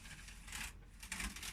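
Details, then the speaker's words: Brother KH260 chunky knitting machine, carriage newly mounted and sliding freely across the needle bed: soft rasping, ticking bursts with no harsh catch at the front, just needles being pushed aside; normal, though the machine needs a service. "That's fine. This noise is the needles being pushed out of the way."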